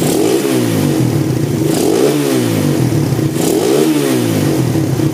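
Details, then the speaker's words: 2014 Suzuki Satria FU after a failed bore-up and total rebuild, three clean throttle blips with revs climbing and dropping smoothly and crisply; engine now responsive. "untuk mesinnya sudah responsif ya."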